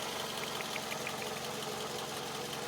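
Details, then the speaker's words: 2006 Toyota Camry with 293,000 miles that burns oil, PCV valve being replaced: steady light ticking over even idle, worse after driving; owner suspects idler pulleys, no vibration; source unconfirmed. "got down in here sometimes when I come when I come in off the road and I fire it up it's really ticking down in there that's what leads me to think when them idlers trying to go bad they're not vibrating or anything you hear it ticking"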